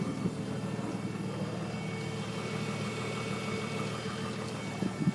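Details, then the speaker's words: 2005 Nissan Maxima petrol engine idling smoothly with a thin, steady high whistle that doesn't go away; told it is not the timing chain, cause unknown. "i just wanted you to hear this noise to see if you guys had any problems before what this little whistling sound is bothering me doesn't go away it's not a timing chain that's what they told me"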